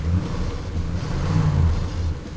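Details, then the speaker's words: Chevy Caprice V8, new motor already broken in, with fresh oil and transmission service, electric choke, shot air cleaner and a cheap muffler, revved. Deep, even rumble climbs and settles with no squeak or knock; the engine is healthy. "there's my tack it's pretty quiet it ain't making no squeaking sound"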